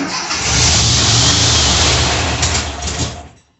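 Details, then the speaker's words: 1982 air-cooled VW Vanagon Westfalia, fuel pump relay reinstalled instead of hot-wiring: engine catches and runs evenly a few seconds, then fades and dies after starter release; fuel pump only powered while cranking, fuel-starved stall. "Ran for a minute. Try it again. But it seems to be fuel pump's not getting energy now. It gets it when the starter goes, but it doesn't get it after."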